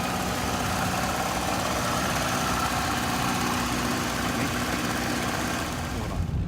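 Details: 1997 Chevrolet Camaro V8 during pre-purchase inspection: even, deep idle rumble with a steady beat and no knocking or ticking; idles smoothly and sounds healthy.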